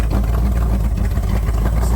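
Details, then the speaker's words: 1978 Corvette C3 V8 running after heads refitted and a year sitting, cam break-in done on old manifold with short dump pipe, carb still being tuned: loud, deep, even rumble, steady firing, no misses or knocks; normal running. "well after a couple long fought days we're pretty much back together uh motor's running good no issues cam breaking seem to have gone okay"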